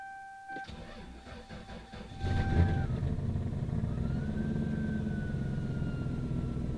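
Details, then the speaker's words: Lexus SC V8 just delivered by truck cranks briefly, then catches into a loud, raspy, puffing fast idle. A bad exhaust leak from a ripped flex section, absent before shipping. "Yeah, this has a pretty bad exhaust leak. And it didn't have one when it went on the truck."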